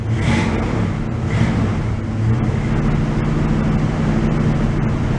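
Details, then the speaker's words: 1986 Oldsmobile Cutlass Supreme Brougham, non-running for five years, now starting on a good battery: lumpy V8 idle with a couple of sharp pops over a steady low rumble; a slight stutter and popping, cause unknown. "it's running maybe in about two days the battery's good a little stuttered popping"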